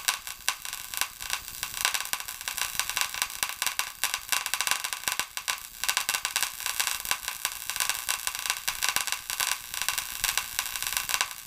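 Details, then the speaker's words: Paradigm PW-2100 v2 subwoofer, amplifier out of its case and plugged in: sharp irregular pops and harsh crackle with smoke and electrical smell from the power supply board. An electrical short, a fire hazard. "as you see there that's what the noise is somewhere in that circuit board we're getting some cracking and some popping doesn't smell so bad smells like electrical letting the smoke out"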